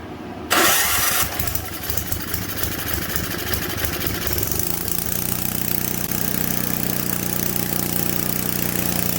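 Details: Simplicity 560 snowblower small engine, primed and gas added during a tune-up, in cold weather: pull-start catches at once, then a steady even putter with no misses or knocks; runs well, only a slight hiccup at idle noted.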